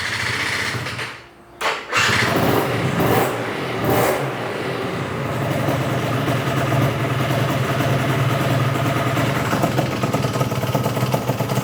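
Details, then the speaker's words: Yamaha BWS 100 two-stroke with Malossi 125cc kit, idle screw almost fully in: starts after a stumble, then burbles unevenly at low revs with a wet, lumpy note; running rich because a blocked pilot jet left it idling on the main jet. "I think we need to go a bit leaner, quite rich on the bottom end. So, carb off. Now it's blocked. It's been idling on the main jet, and the reason why I know that is because it was only idling with the idle screw all the way in."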